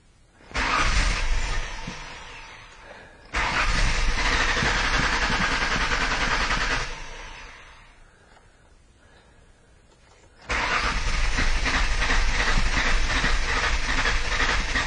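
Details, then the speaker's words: Crank no-start car with only about 22 psi static fuel pressure, pump relay reinstalled: long cranking bursts almost catch, then fade as fuel pressure drops during cranking. Hard crank from low fuel pressure, weak pump suspected. "wants to start but just doesn't have enough gas well you can hear it definitely has a different starting pattern than it did earlier it almost wants to start"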